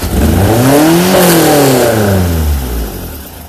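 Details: Ford SOHC 2.0 Pinto petrol four-cylinder with twin Weber 40 DCOE 151 carburettors in a Sierra-based kit car, after airflow-meter balancing: blips up cleanly and falls back smoothly, healthy even rev, no misfire.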